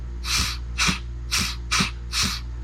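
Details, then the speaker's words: Eclipse CMC pneumatic clamp air cylinder operated by manual override: five sharp hissing bursts about every half second vent cleanly from the exhaust; cylinder releasing normally. "you can hear the air come out of the exhaust. Same with this one."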